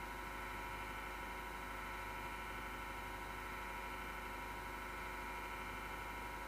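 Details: MSGW Plutos PC power supply fan, grinding since December 2015: steady rough whirring with a gritty edge and several constant whining tones, with strong vibration that can be felt; PSU fan grinding, cause not confirmed.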